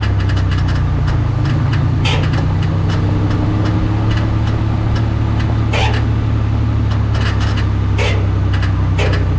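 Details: Mendeola MD4S e-box transaxle running with a steady low drone cut by irregular sharp clicks and knocks; cause unknown.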